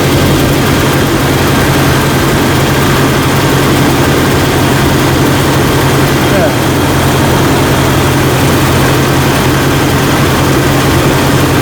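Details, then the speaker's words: Jeep Cherokee XJ 4.0L that would not start, started after a jump; battery nearly a year old. Loud, smooth idle with an even low drone and no ticks or stumbles. Alternator reads almost 14.2 V, so it is good and the battery is the problem. Normal idle. "All right, let's start it up, and then we're going to check the alternator and see if we're getting 12, or see if we're getting around 14. All right, got a strong start."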